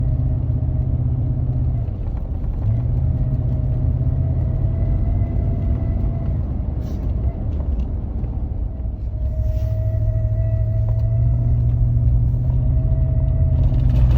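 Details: 2015 Ford F-150 at idle: faint thin whistle or squeal coming and going over a deep steady rumble; attributed to a bad water pump.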